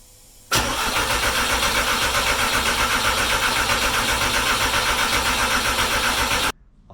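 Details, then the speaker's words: Porsche 944 with 1.8T engine swap, after first brief five-second run; starter cranks steadily about four turns a second for six seconds without catching; no spark and no injector activity, crank no-start. "basically it started for five seconds that I wanted and I should have probably wanted a little more than that but it doesn't want to start anymore I got no spark no injectors none of that stuff's going"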